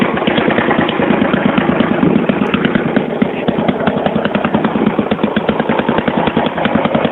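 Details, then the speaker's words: 1982 Yamaha SR 250 Special Edition single-cylinder motorcycle on choke, probably from when the carburetion was being adjusted: fast, rough, even popping with a raspy lawnmower bark and loose, flat crackle; the exhaust line is full of holes and leaking. "Vous remarquez le bruit quand même magique de tondeuse à gazon. Là c'était avec la ligne d'échappement toute trouée."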